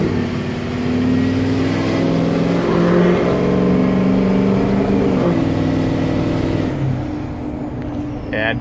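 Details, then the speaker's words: Ford F250 6.0 diesel, 4WD, Power Max tune, straight-pipe 4-inch turbo-back exhaust, heard from the cab with the window cracked while cruising: high thin turbo whistle steady over a deep diesel drone, falling away as throttle lifts; healthy turbo, temps good. "Everything isn't totally closed shut, but it works. Or crack the window so you hear the turbo."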